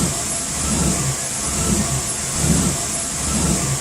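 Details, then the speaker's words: Petrol truck engine idling unevenly, low rumble swelling and sagging about once a second, after fuel filter replacement; new filter did not cure the rough idle. "So it looks like the fuel filter wasn't the cause of a rough idle, so we're going to go ahead and cross that off our list."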